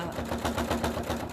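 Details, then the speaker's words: Sewing machine doing raw-edge applique through four layers of fabric and wadding plus thread: quick steady clatter of stitches, seven or eight a second, with heavier thumps; noisy but normal for thick layers. "It's very noisy. Can you hear it? It's because it's going through about, I don't know,"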